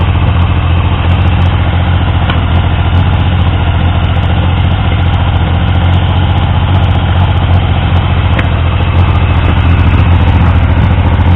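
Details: Triumph T150V triple after head and cylinder removal to cure oil leaks; started on the 2nd kick. Steady, low-pitched idle with an even beat, no knocking or misfire. Oil return to the tank looked good; no oil leaks; normal idle.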